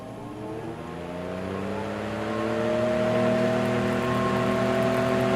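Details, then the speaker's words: Fan with brushed motor run through a BN-LINK plug-in variable speed controller, switched straight to high: motor hum climbs steadily in pitch over several seconds as the fan winds up to full speed, smooth and even; normal spin-up. "takes a little while to get up to speed but that's how they were"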